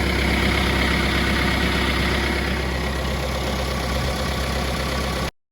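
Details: 2018 Mahindra Roxor turbo diesel UTV just started after replacing the squared-off fuel filter housing O-ring that caused a persistent fuel leak; smooth, steady idle with even low clatter, no stumbling or hunting until it cuts off; healthy idle, leak fixed.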